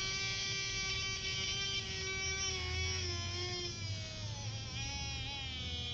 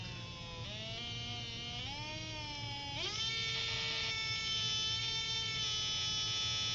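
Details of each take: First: Small DC motor at about 8.9 volts, slowed by a finger on the shaft: whine drops clearly in pitch; less back voltage lets more current flow, so the voltmeter shows voltage dropping. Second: Small DC motor on a 9-volt test circuit, finger drag released from the shaft: whine climbs in a few steps, then holds steady as voltage returns to normal; normal running speed.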